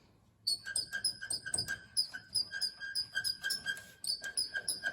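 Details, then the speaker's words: HZ Holden at idle: sharp high chirps about four a second repeating over barely audible idle; squeak from metal rubbing on front bumper bracket. "so when the car is sitting there idling and you've got your window down all you can hear is that and it drives me nuts"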